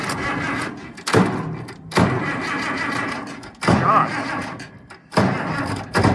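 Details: International 1468 tractor without its V8: four or five short starter bursts after priming until fuel returns to tank plus starting fluid; never fires, owner unsure how open the throttle is.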